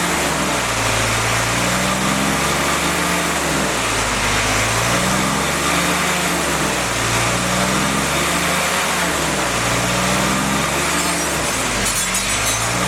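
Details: Freshly rebuilt CJ5 snowblower Jeep F-head four-cylinder at raised rpm during break-in to seat rings, original cam: speed rises and falls smoothly and evenly, no knocks or misses; normal running during break-in.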